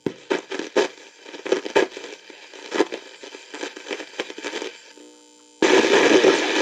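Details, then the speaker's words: Philco Model 7030 signal tracer/dynamic tester audio amp: signal sounds clean going into the output transistors but comes out distorted, clipped, harsh and crackly; output transistors suspected unbiased. "So it sounds good going if If those are the audio output transistors right there, it sounds good going into them, but coming out it's all distorted and clipped and sounds like they're unbiased."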